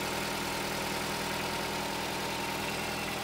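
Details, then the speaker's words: 2009 Nissan Cube CVT, 195,000 km (about 120,000 miles), after draining overfilled dirty fluid, cleaning both filters and refilling: steady smooth idle with faint hum, no pump whine; transmission now sounds normal, not yet road-tested. "does that sound fairly normal Karl both thinking it is that's frickin awesome"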